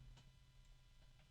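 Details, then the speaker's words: Computer case fan ramped down to its slowest speed: quiet low hum with a few faint sparse ticks, owner unsure if bearing or motor; harmonic resonances appear at higher speeds. "as much as I can that's it's pretty slow so I can hear the bearing or maybe it's the motor I don't know but I can hear that tick tick tick tick sound"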